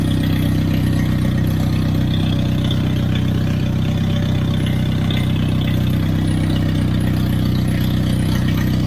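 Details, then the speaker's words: Turbocharged Hyundai Genesis first full start in a long time, idling during HKS Super Coolant fill and burp with no coolant previously; steady, deep, loud raw unmuffled rasp, no misses, because no wastegate is fitted; new thermal coating burning off fumes. "because I don't have that wastegate on it, that's why it sounds like that."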